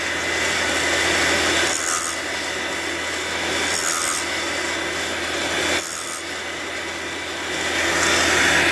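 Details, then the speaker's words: Fordson E27N valve job, valve refacing machine with coolant on, stone set to 44.5°: steady motor hum under light gritty rasp swelling and easing as stone cuts the valve face; normal cut. "There it is, running out nicely on the valve. There we go, you can just hear it."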